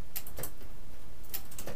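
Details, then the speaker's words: Light, crisp clicks over a quiet spinning chain as a freshly tuned mountain bike with grip shifters cycles through all gears, rapid-fire shifting slightly slower than the other; no grinding or skipping, shifting clean. "you want to make sure you get up on all gears which this bike should be perfectly tuned because I lent it to my friend and then I um I just tuned it up before I lend it to her so we should be fine and it looks like working just fine uh rapid fire a little little slower than other gear shifting"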